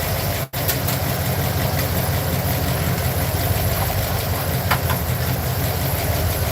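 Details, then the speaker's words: Truck V8 at idle, checked with an inductive timing light on the plug wires: steady low rumble with an uneven, lumpy beat pointing to a misfiring cylinder; cause not confirmed. "I'm not gonna physically pull the wires off but I am going to put my inductive timing light to it and see which ones are misfiring"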